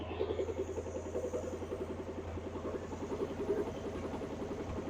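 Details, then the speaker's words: 1957 Ford Thunderbird barn find, off the road about 50–60 years, restarted for a heat cycle after adding coolant and power steering fluid: raw, crackling exhaust pulses over a low rumble, like nearly open headers; loud exhaust, suspected, not confirmed. "I think it is about open headers so there can't be much exhaust on that car"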